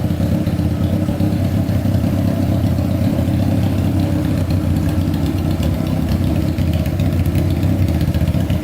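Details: Honda CBR600-engined go-kart with carburetors, after the cooling system was refilled, fuel pump not working: a smooth, steady four-cylinder idle with an even rapid beat and no misses, though the owner thinks the idle is set too high. Normal idle.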